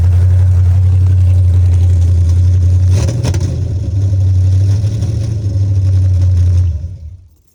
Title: This was before I rebuilt the carburetor and you can hear the vacuum leak making the carb hesitate.